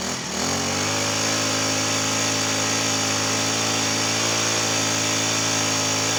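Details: Cold Honda GX35 four-stroke grass trimmer engine, cold-starting complaint, started within two pulls without choke, now run up at steady high speed, smooth and even with no misses or knocks; running healthy.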